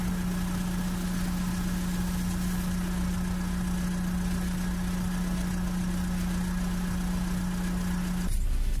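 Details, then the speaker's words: Renault Laguna 3 2.0 dCi 150 hp diesel with damaged EGR valve connected, at start: even low idle hum about eight seconds with grey smoke, then engine cuts out by itself. Unstable idle from faulty EGR valve. "Malgré le fait que le moteur fonctionne uniformément pendant un moment, faites attention à ses révolutions car il s'éteindra automatiquement dans un instant."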